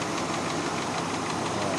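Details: Kia Pride carburetted engine with hard starting: rough, uneven idle with harsh hissy rattle and no steady beat; running poorly, cause not confirmed.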